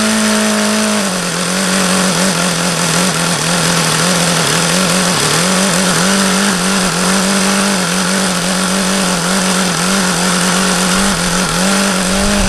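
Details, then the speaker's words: HP VT 21 rotary-valve four-stroke glow engine: fast, slightly wavering buzzy idle that never settles low; owner reads it as the low-speed mixture still rich and keeps leaning the low-speed needle, not confirmed. "see I could get it to go lower as long as I kept an eye on there like it's still rich that's why I was going leaner on this low speed because that's what that seems to indicate"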